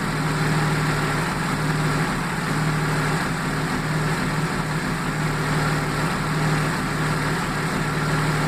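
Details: 1995 Jaguar XJ6 X300 with AJ6 engine misfiring at idle: steady drone with a brief dropout in the low beat roughly every second, an uneven stumble.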